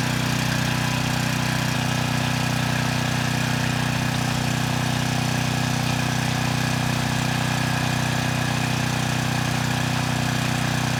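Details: Troy-Bilt 6,000 W generator after replacing the burnt, failed stator: steady, even engine drone at constant speed with no knocks, rattles or hunting, output rising to 118 volts, no strange smell; normal running.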